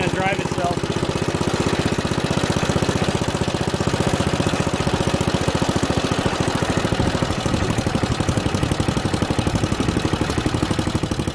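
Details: Junkyard Ditch Witch C99 trencher, old, year unknown, started in neutral: small single-cylinder engine chugs at an even, steady beat with no misses or knocks; normal running.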